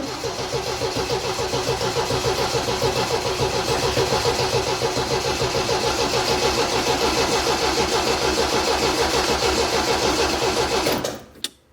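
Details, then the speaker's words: MGB after restoration, first start with the new exhaust, fuel pump primed and carburettors pumped: a steady starter churn at about 3.5 pulses a second for 11 seconds. The engine never catches, a long crank with no start. "okay that's taking quite a while let's try again"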